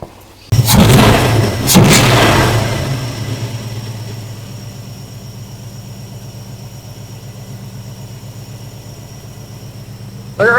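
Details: 1974 Plymouth Duster after carburetor work: cranks and catches, revs briefly, then settles to a steady, even idle with no misses.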